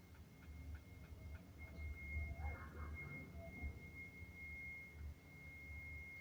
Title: The mystery of the unknown beeping noise.